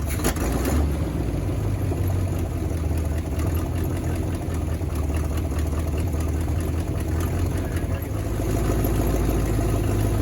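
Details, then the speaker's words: 1979 Chevy C30 V8 first start after sitting eight years in a field: fires up and settles into a steady, even idle with no obvious knock or miss; owner notes power steering not working and many exhaust leaks. "so a okay yeah first time running eight years i've been sitting for eight years fires up in oh idols"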